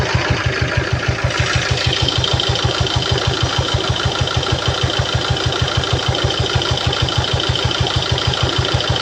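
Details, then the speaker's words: Peugeot Partner B9 2012 1.6 HDi 75 hp diesel, almost 216,000 miles, excessive oil leak and smoke from oil cap: steady idle with a sharp regular knock about twice a second; cause unconfirmed, later resolved after topping oil to full and letting it sit. "The engine doesn't sound too healthy on there."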